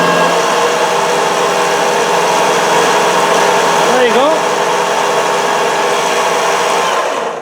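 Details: 60 amp alternator (A127) after bench repair, battery connected, charging light on, output measured at 14.26 volts: steady, even whine with no bearing rumble or irregular flutter; normal running.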